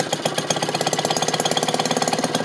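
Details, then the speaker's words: Maytag washing machine engine running with the agitator shut off; it is the longest it has run so far: crisp, even single-cylinder popping at about fifteen beats a second that picks up a little as load drops. Normal running. "So, she's up and running. I'm pretty happy with that. It's really the longest it's run, I think."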